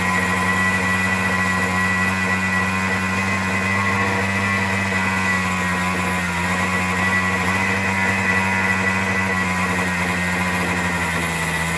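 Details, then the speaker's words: Troy-Bilt two-stroke string trimmer on a new carburetor, cutting head removed: steady high-pitched buzz holding a fast, even speed; idle set too high, later adjusted by turning the screw. "Okay, let's try that again. because so low, it seems to be really running high."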